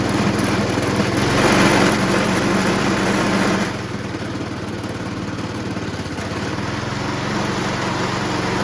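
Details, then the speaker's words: Honda HRR216 Harmony II QuadraCut push mower with blades fitted, reported to vibrate crazily when the blades are disengaged: fast, fairly even beat with a rougher, heavier patch early; excessive vibration. "now remember Jason said that it ran and You' engag the blades it goes but then when you disengage the blades it vibrates crazy here we go"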